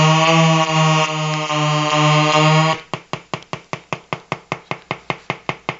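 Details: Colour-changing LED bulb on 4.5–6 V DC batteries: steady electrical buzz giving way to sharp ticks about 2.5 per second; the bulb's driver buzzing as it cycles colours, interference noise.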